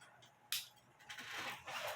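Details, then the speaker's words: Shipping box holding two clocks, including a small DBGM triple-plate cuckoo clock, shaken before opening. Short clattering, jingling bursts with each shake, like loose pieces tumbling inside. Suspected loose parts from transit. "when I shake the box I hear noise I don't like that noise but uh"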